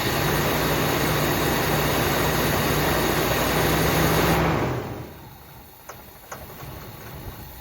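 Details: 1979 Buick Limited with a Buick 350 V8, first start after long storage with a fuel pump fitted, some two-stroke gas in the fuel: catches and idles unevenly for a few seconds, smoking a little, then dies. Rough, unsettled idle.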